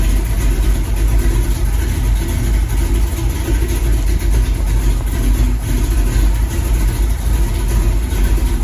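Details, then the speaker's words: Cammed 350 small-block V8 El Camino after timing adjustment: deep, lopey idle with steady, even low rumble, no knocks or misses; normal idle. "like I said she sounds really good y'all ever since I did that timing stuff this sounds really really good"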